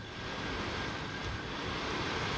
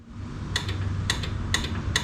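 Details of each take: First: 1961 Chevrolet Parkwood blower motor, original 1960s wiring, freed of a rat's nest and given a cleaned ground, set on defrost: a steady electric whir that smooths out, speed barely changing: normal blower motor operation. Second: 1961 Chevrolet Parkwood, original wiring unused since the 1960s, key on: sharp evenly spaced clicks about every half second from the washer pump, possibly a built-in relay, ground confirmed, but the wiper motor never runs; motor suspected bad.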